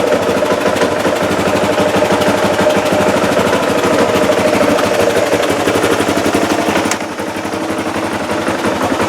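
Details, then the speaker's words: Newly bought motorcycle that wouldn't start, found frozen up, fairings off. Now fires up with a quick steady popping exhaust beat at fast idle, no misses or clatter; runs very cleanly. "so yeah runs very cleanly now"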